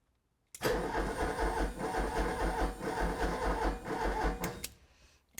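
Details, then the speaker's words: 1988 Ford Escort during fuel system diagnosis: the starter churns at an even beat for about four seconds but the engine never catches. The fuel pump is audible and nothing is leaking; cranking is thought not fast enough, with the starter suspected, not confirmed. "Nothing obviously is leaking. It's not turning fast enough, is it?"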